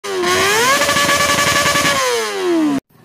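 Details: Honda Supra motorcycle engine blipping and dropping back with a light metallic chatter on top of the note; valves checked and ruled out, noise traced to cam chain rattle.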